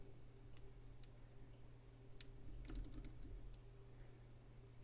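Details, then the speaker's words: 1973–1977 RadioShack Realistic Chronomatic 106 flip clock radio, clock motor after oiling a sticky motor: earlier noise has already stopped and it restarts right away when stopped. Only faint steady low hum with light clicks; normal quiet clock motor. "you can already hear just in the time this is you know this is all live it's already stopped making that noise and you see I stop it it starts right back right away so that was pretty quick"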